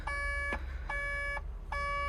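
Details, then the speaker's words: 140LCR excavator diesel running with SCR malfunction reported: three evenly spaced high beeps over low diesel rumble, the catalyst (AdBlue) tank level low alarm; AdBlue is about to be topped up. "Catalyst tank level low, catalyst tank level low, catalyst tank level low. Right, let's put some AdBlue in it."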